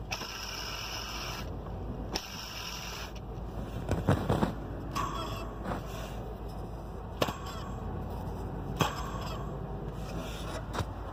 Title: M54 bad water pump and drive belt pulleys